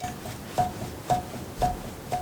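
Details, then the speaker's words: Loose front wheel hub on a Chevy Suburban, wheel and caliper removed, rocked by hand: sharp metallic clunks about twice a second from a bad wheel bearing that also grinds and rumbles when spun; hub assembly replaced. "I'll spin this one more time so you guys can hear it grind. And if I shake it, you can hear it clunking."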